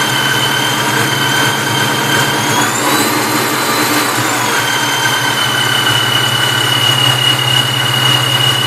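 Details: Vortech V-1 T-trim supercharger whines just off idle, sounding normal at idle and higher revs; a steady high whine over the idle rises with a throttle blip. Owner asks if bearings are failing; unconfirmed.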